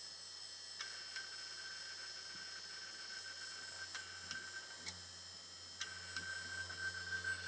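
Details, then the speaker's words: Old hard drive running with cover off, no corrosion inside: sharp uneven clunks about once a second over faint spindle whine, never reads; owner suspects corroded head-to-board connection near bottom edge. Hard drive clunking. "Well, that seems like a very unhappy drive. It shouldn't clunk around like that."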